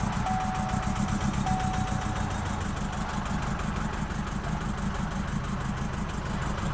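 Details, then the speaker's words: 2019 Chevy Colorado with the Baby Duramax diesel, about 4,000 miles after purchase, knocking and smoking heavily: near full throttle it drones and pulses unevenly without gaining speed, losing power; cause undetermined. "You might be the only power in this truck."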